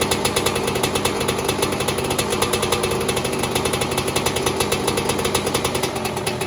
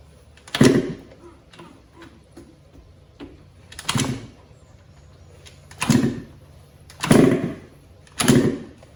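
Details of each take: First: 2002 Yamaha YZ125 two-stroke, first startup after top-end rebuild, backfired on first kick: crisp, rapid, even crackle at steady speed with no knock or rattle; running normally. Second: Yamaha YZ125 two-stroke after top-end rebuild following blown engine, choke on, fuel on: five or six kicks about one to two seconds apart turn it over but it never catches; owner suspected no spark, yet spark check showed spark present.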